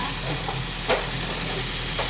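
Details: Toyota Vios after cleaning of oil sludge, warm engine, previously noisy valve ticking; even petrol idle with steady low hum and no regular ticking from the top end; normal idle.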